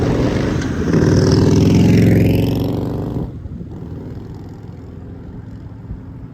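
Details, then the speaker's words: Engine just back on the farm after extended leave, revved up and idled down repeatedly to help seat the rings: it revs smoothly up to a strong even roar, then drops back to a steady, regular idle; running good. Normal rev and idle. "just to explain what dad's doing there he had heard from a couple mechanics before that if you rev it up and then idle it down and then you know rev it up keep kind of doing that every so often supposedly it's supposed to help seat the ring"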